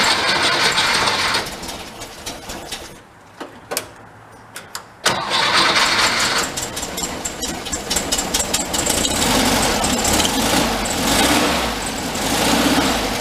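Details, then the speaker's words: 1959 VW Type 2 truck, air-cooled, after carburetor reinstalled: cranks, catches and settles into steady idle with crisp pickup; throttle response now immediate. "eyeball it one more time you hear it now the throttle response it's immediate"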